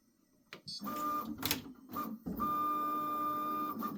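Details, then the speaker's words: Prusa XL tool 5 docking/undocking after fix (nozzle was hitting the dock, tape added): smooth, even stepper whir with light clicks, no squeak or scraping; tool change now runs clean. "see if we're any happier with that that sounds way [Music] better"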